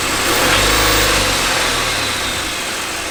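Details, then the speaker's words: Totaled, crash-damaged car with rags in the intercooler piping and broken motor mounts, engine probably sitting about 5 inches low: it catches and settles into a steady, even idle with no knocks or misses; it runs fine. "But I mean, it runs and starts."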